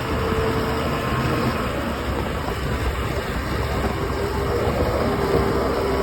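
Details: OX66 outboard running steadily with a rough, gritty churning grind at constant speed; spark plug change silenced it only briefly, compression excellent, prop not slipping, origin unknown.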